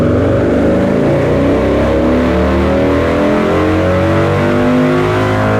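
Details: Harley-Davidson Lowrider S, Milwaukee-Eight 131ci Stage IV kit, stock compression, Cycle-Rama 512 cam replacing Screamin' Eagle 517: full-throttle dyno pull, strong clean V-twin roar climbing steadily in pitch, no misses or knocks; made about 147hp and 149ft-lb, normal.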